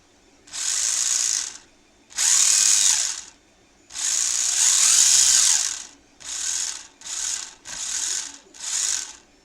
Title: Eachine EAT15 UDI Pinecone SG1603 Rally car noisy loud gears differential RC rally car 1:16 repair